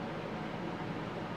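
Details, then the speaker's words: Turbro Greenland 13.5K inverter rooftop A/C with heat pump in an Escape 24 trailer: steady white-noise air hiss with soft hum, no rattles or surging; slightly louder than their previous unit; normal running. "I think it sounds like white noise. Like the sound doesn't bother me. It's a little bit louder than the other one, but it's really not bad."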